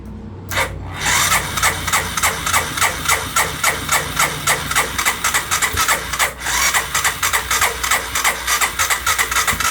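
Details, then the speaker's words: 1998 Honda 300 4x4 ATV sitting for years, carburetor seized, choke broken, little fuel: steady rhythmic starter cranking about three and a half turns per second, no firing; crank no start, carburetor suspected. "Yeah, it's not looking like it's gonna fire."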